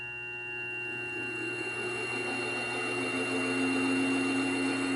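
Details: New Grizzly G0758 benchtop mill, low range 50–1,000 rpm, starting near 50 and run up to maximum. Smooth whine climbing steadily in pitch, no gear chatter or grinding; normal run-up.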